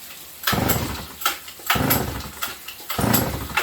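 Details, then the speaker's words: Sachs Dolmar 153 100cc chainsaw, carb rebuilt twice, good hot spark, timing advanced; three pulls each give a brief rough chuff without catching. Hard, inconsistent starting, and the owner suspects an impulse or intake leak. "it starts very inconsistently no matter where you advance or recharge the timing"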